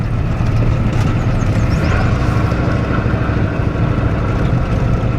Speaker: truck seems to run pretty good though